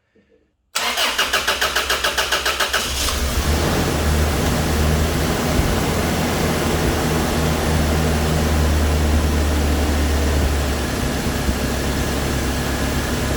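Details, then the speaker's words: Toyota Hilux after its fuel injectors were removed, cleaned, flow-tested and reinstalled: quick starter whirr, then it catches cleanly and settles into a steady, even idle with no misses or knocks; normal start and idle. "all right sweet she runs thanks for watching uh we'll catch you in the next one"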